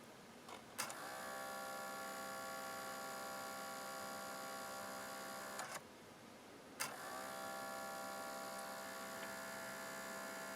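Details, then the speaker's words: 18-year-old NAD L53 DVD receiver that won't read discs, laser lit: whiny hum starts and stops as it seeks and tries to focus, then gives up. Spindle motor noisy, suspected damaged. "okay turning it on okay you can see our laser you can hear the he the motor is making quite a bit of racket"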